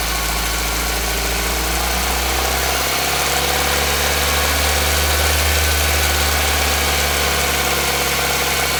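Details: Nissan Micra HR16DE engine at 3,546 km, at idle: a fast, fairly even tapping over the engine note, about three or four per second; knocking of unclear origin.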